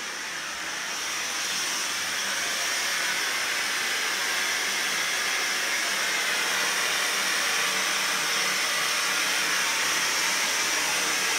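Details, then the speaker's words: 2008 Kohler K9 steam generator (model 1659) after repair for error 5, float switch tested and leaks fixed: steady even hiss of steam, soft rushing tone, no sputter or knock; producing steam normally. "time to fire it up that's the sound i want to hear"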